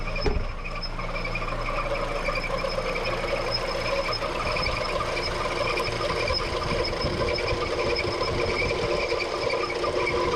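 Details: Petrol engine idling with a steady high squeal from the accessory belt slipping on its pulleys; belt replaced three times and bearings changed without help, before a dressing is applied to the belt.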